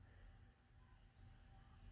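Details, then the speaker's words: Room fan with an induction motor, set to low: a low, quiet motor hum with almost no blade whoosh as it takes forever to start spinning. Owner suspects a bad starting capacitor. "so i'm going to go ahead and set this thing to low and you'll see that it just doesn't takes forever to get going right there so you can kind of hear the motor humming as well but the blades just not spinning"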